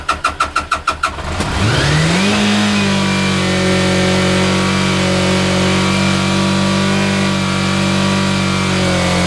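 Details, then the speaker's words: 34-year-old motorcycle first start after replacing the whole wiring harness with homemade new wires and connectors; brief quick starter chugs, fires, revs up, settles into steady even idle; healthy. "Alright, so I think I have the routing sorted out, more or less. And we're going to try to crank it over."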